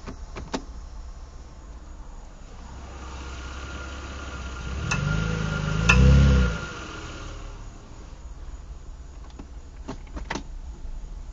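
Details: 2007 Mitsubishi Eclipse pulling away from a stop: sharp scattered clicks, louder backing uphill under load; left drive axle diagnosed failing, both drive axles replaced and the noise went away.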